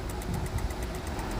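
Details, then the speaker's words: 2013 Honda Accord that cranks but won't start: fast, steady relay clicking of about 7–8 per second over a low hum while the cluster flickers on and off, caused by a loose G101 ground connection. "Relay on off का यहां से बाहर से भी आवाज आ रहा है relay का तो यहां ये यहां रिले से भी कुकिंग की आवाज आ रहा है"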